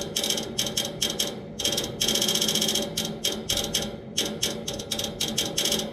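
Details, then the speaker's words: Outdoor AC unit with fan off, new motor already fitted without fixing it: bursts of sharp rapid ratcheting clicks over a quiet hum from inside the unit, as if trying to crank something; stops once the fan starts, cause unknown. "I'll make this video as long as you guys want and this noise will continue until that fan turns on once the fan turns on it goes away"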